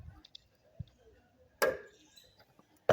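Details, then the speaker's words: Fiat Idea whose front suspension gives sharp, hollow knocks when driving fast over speed bumps, despite newly replaced bushings, mounts and shock absorbers. "acontece sempre quando você passar rápido numa lombada ele dá essa pankadinha"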